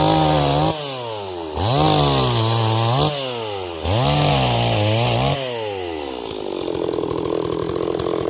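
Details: Repaired Stihl 026 chainsaw, returned by its owner as a no-start, now running; several clean throttle blips rise sharply and fall back smoothly, then a steady buzzing run: healthy and responsive.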